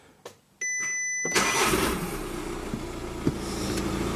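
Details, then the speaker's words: Car after fixing a vibration noise traced to a vibrating cover, not the flywheel, by padding it with filter material: chimes, start, then steady even idle with no rattle or vibration buzz; noise gone with clutch in or out. "là il ya plus de bruit je débrayent je re voilà il se passe plus rien donc c'est nickel"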